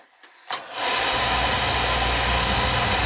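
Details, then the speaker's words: Home oil burner after fixing untightened nozzle: quiet click, then sudden whoosh into steady even roar; lights instantly, normal ignition, excess oil in chamber to burn off. "so let's see what happens it should fire right up now like instantly"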